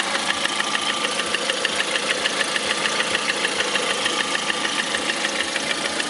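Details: 2009 Lada Priora, 37,000 km, engine began knocking 500 km after adding Suprotec additive: sharp, light metallic tapping at idle, steady at roughly three per second over the engine hum; knock of unknown cause.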